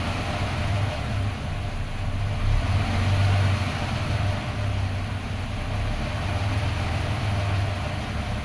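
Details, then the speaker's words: 1995 Suzuki Escudo, started in diagnostic check mode: idle rises and sags in slow uneven swells, hunting and sometimes stalling; check mode must be removed for normal idle. "see it's hunting sometimes it even stalls out"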